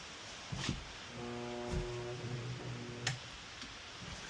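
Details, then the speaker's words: Used table saw's 1 hp 3450 rpm GE motor, reassembled after 6203 bearing replacement: loud steady hum about two seconds without spinning up, then breaker blew; owner believes a centrifugal switch wheel was bent while feeding the rotor in. "Blew the breaker. So, what I know I've done is when I was feeding the rotor inside, I must have caught maybe here one of those wheels and bent it."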